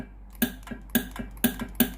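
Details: Philips GC9682 steam iron, steam button pressed: sharp solenoid valve clicks with no pump hum or steam hiss, and no steam from the soleplate. The water pump had failed; the pump and water valve were replaced.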